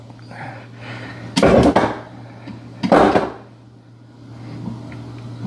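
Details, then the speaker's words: 1996 Sea-Doo GTX 787 engine, rebuilt last year, starter relay jumped with screwdriver: two heavy clunks with no cranking; starter engages but engine won't turn, owner suspects locked-up blown engine or weak battery. "I don't know if it's locked up maybe the batter is not good I'm trying to get a good sounds like it's locked up"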